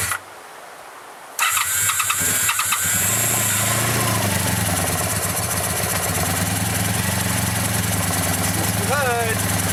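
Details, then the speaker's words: 1985 Honda VF700S Sabre after carburetor cleaning, cold start at about 32°F with a little choke, likely first run in a long time: starter, then catches into a quick, slightly uneven but steady idle; running again. "good she's trying it's coming back to life probably the first time it's ran and who knows how long well that's a pretty good start"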